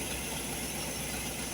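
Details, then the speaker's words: Holley 4412 carburetor after rebuild with homemade gaskets, hot engine, gaskets sprayed to check for leaks: steady, even idle holding speed with no rise or surge; normal idle, no vacuum leak at the gaskets. "let me tell you what so So within spraying around the gaskets right there nothing revved"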